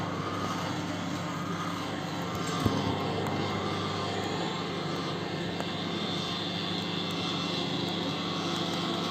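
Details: LG microwave oven running: loud, steady drone with a low hum throughout, coming from a noisy turntable motor.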